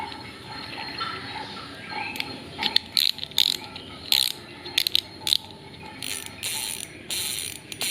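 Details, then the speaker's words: Spinning reel drag after a no-new-parts loudness modification: sharp, loud bursts of rapid high clicking as line pulls off; owner considers it the maximum achievable with stock parts, clicker working normally. "Oke, suaranya seperti ini. Ini menurut saya sudah maksimal dengan part yang bawaannya."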